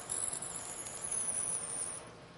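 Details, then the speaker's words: Hand-fed drill in a tailstock chuck, drilling one or two diameters per pass with cutting fluid: a thin high squeak over the cutting noise means chips are packing the hole and flutes, so withdraw and clear them. "the squeaking you hear there is often a very good indication that you've gone far enough with this pass and it's time to remove the drill and clean the chips from the hole and from the flutes of the drill"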